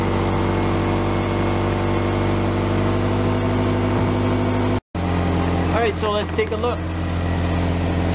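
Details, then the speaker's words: 2001 Honda CR-V, warm day start after repairs: steady low idle with fine rapid puffing tick on every firing pulse; exhaust leak, needs fixing. "you can hear the exhaust leak we got a fix and a tie rod issue"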